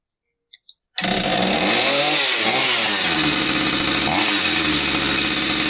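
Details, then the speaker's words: Husqvarna 66 chainsaw after fixing a no-start where the crankcase impulse signal wasn't driving the fuel pump: catches after a couple of pulls and holds a crisp, steady buzz through throttle blips, running healthy. "Heat. Heat. She's a runner."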